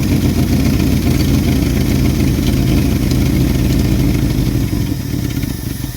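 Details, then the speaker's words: 1974 Ford bumpside FE 360 with rebuilt Motorcraft 2-barrel, float bowls filled by hand since the fuel pump was suspected of not pumping. It would not run lower, so the idle screw was raised: deep, steady V8 rumble at a fast, too-high idle. "Didn't want to run at lower idle, I guess. I had to turn the idle up just to get it to run, but it's obviously idling really high."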